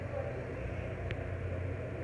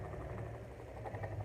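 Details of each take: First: Mondial fan after front bushing replaced and shaft cleaned, running on minimum speed: low steady hum with soft even whoosh, no rattle or scraping; owner suspects swapped blade is slightly bent and wobbling. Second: Mondial fan with customer-reported noise, previously worked on by another shop: steady low motor hum with faint irregular scratchy rattle, intermittent; owner unsure if shaft or gearbox, stops very quickly; fixed by replacing bushing.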